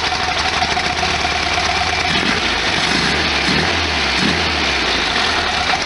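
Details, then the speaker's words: 1973 VW Super Beetle after hydraulic lifter work; STP oil treatment had caused very high oil pressure, suspected to have jammed the oil cooler bypass valve. Busy, rattly valve-train clatter over the air-cooled idle; owner fears engine damage. "it doesn't sound right with all kinds of valve fire and stuff [Music] [Music] I'm just hoping I didn't do any damage to the motor"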